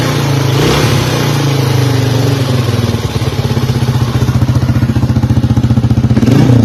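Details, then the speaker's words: 1982 Honda XL250R, sold as having a noisy, finished engine, kick-started after service work and fresh oil: the single cylinder thumps steadily and revs cleanly with no knocking or clatter; the noise came from the parts fixed; normal running. "As you can see, the engine is it's actually really healthy, so the extra noise was coming from those parts we fixed."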